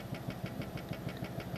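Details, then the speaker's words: Brand-new computer power supply: a low hum pulsing about six times a second with a faint rattle; the cheap cooling fan is suspected of vibrating and humming, not confirmed. "давно у меня появились претензии к вентиляторам намекая на то что возможно это некий сговор производителей чтобы продукция подобная жила не долговечно и чтобы потребитель как можно больше потреблял"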